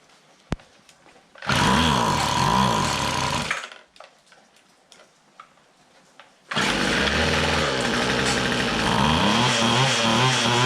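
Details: Free restored two-stroke weed trimmer, fuel hoses found reversed and flipped so it now pumps gas, after hard starting catches and runs at a steady high buzz in two bursts with a pause between; running normally once fueled.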